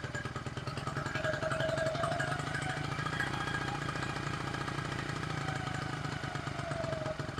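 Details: 1974 Honda XR75, aftermarket carb with only float adjusted, choked cold start: small single pops raggedly, beat stumbling, never settling to an even idle; unstable idle, cause not found despite jet, needle and slide changes.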